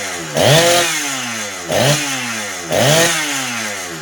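Unloaded saw blipped three times, revs flaring and falling off with a slightly blubbery edge: still four-stroking a bit from a rich carb setting.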